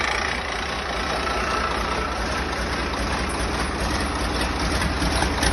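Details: Freshly rebuilt diesel engine, first start on 24-volt jump leads, one injector pipe off: starts very easily and settles into a steady, even low idle clatter, no knocks, misses, bangs or major leaks.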